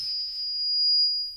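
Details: PA feedback on an analog Luxury 6 mixer while sweeping the mid-frequency knob during mic tests: a pure, piercing whistle steady around 5 kHz, later removed by cutting that frequency.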